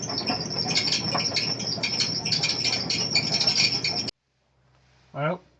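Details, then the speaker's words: Old Kenmore Series 70 clothes dryer running: shrill bird-like chirps about three a second over drum rumble; idler roller pin spinning instead of the roller turning on it, causing the squeak. "now as you could clearly see the pin is spinning the roller should be spinning on the pin that's what's creating the squeak"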